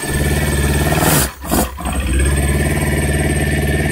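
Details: Kawasaki ZX9R four-cylinder after carb clean and spark plugs, cold start on choke: catches, stumbles briefly, then steady even high idle with clear smooth exhaust note; previously stalled at tickover, now healthy.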